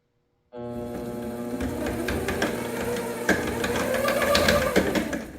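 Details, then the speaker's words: 7x14 two-speed mini lathe (a returned eBay unit) running in the low gear range: motor whine with sharp bangs about three times a second as the spindle turns. Broken headstock gears are suspected, probably plastic. "I can tell by feeling it that there's gears busted in there. No matter what I put it in, it goes bang, bang, bang."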